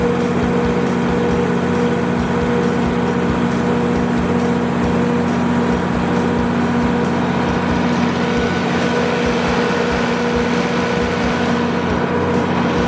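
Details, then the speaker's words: Used 175 kW Kohler generator with a John Deere diesel engine, fully serviced with new oil and filters and a refurbished radiator. It gives a deep, steady diesel drone with an even low throb and constant pitch, no misses or knocks. "Love that noise, ladies and gentlemen."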